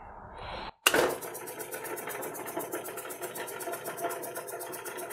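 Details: Vintage air compressor just rewired from 120 V to 240 V, on its first run after rewiring: quiet, evenly paced rapid clatter at about seven beats a second with no faltering; compressor motor and pump running smoothly.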